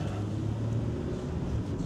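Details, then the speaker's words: Test drive of a 2013 Honda Ridgeline 3.5 AWD at about 139,073 miles: low, steady, smooth engine rumble under light load after a shift, no knocks or whine. Engine sounds normal while driving. "All right, had a shift. That feels pretty good. Engine sounds good."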